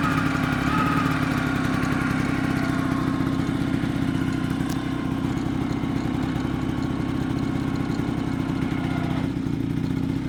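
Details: Vespa PX two-stroke idling with an irregular metallic clatter over the beat, appearing after a new clutch was fitted; owner suspects the clutch, cause unclear.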